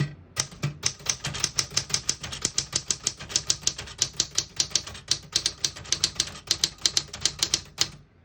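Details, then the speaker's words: A 1960s Smith-Corona Riviera portable manual typewriter with Elite typeface strikes crisp, bright keys evenly at about five per second, a unique, really high-pitched sound. No keys skip, stick or drag, so the typing is normal. "Type's nice, it's got a really kind of unique sound to it, really high pitched."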